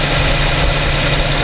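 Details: New 2015 Infiniti Q70 3.7 V6 at about 1,300 miles, warmed up, idling in drive, recorded at night with a Rode VideoMic Pro: a smooth, even, quiet hum with no knocks or ticks. Normal idle.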